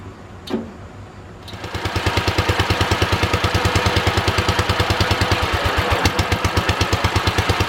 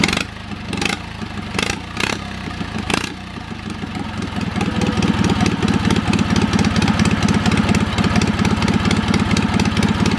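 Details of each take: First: Wisconsin THD twin-cylinder engine on first start after repair: catches and settles into a lopsided, uneven chuff at about three beats a second; running on one cylinder, front suspected, from a stuck exhaust valve. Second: Old Wisconsin THD twin-cylinder engine started after freeing a stuck exhaust valve with oil on the stem; a few coughs, then a steady quick putter on both cylinders, slightly choppy, carburettor top half unusable; running properly.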